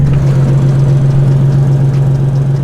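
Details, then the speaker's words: Nissan 370Z with a turbo kit: steady low idle with a rough, raspy puffing edge underneath and no misses, an exhaust leak the owner has been talking about for about a year and says has gotten bad. "Can you guys hear how bad my exhaust leak has gotten? I know I've been talking about this for like a year now."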